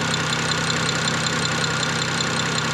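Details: BMW E90 N54 twin-turbo under diagnosis for no boost, idling at about 26 vacuum with the wastegate line reconnected: a steady, even, smooth hum with no rattle or knock. Normal idle.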